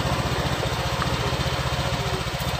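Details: Honda Vario 125 LED scooter, previously totally dead electrically, started by bypassing the ignition switch wiring as an emergency method: even, steady putter of about twelve beats a second with no knocks or misses; the engine idles cleanly.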